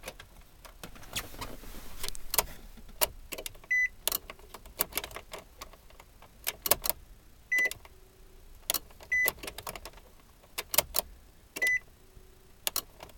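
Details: 2009 Nissan Cube no-start: scattered sharp clicks and chimes as key turns, no starter whir or crank; owner thinks relay clicks are normal but current isn't reaching starter solenoid, unconfirmed.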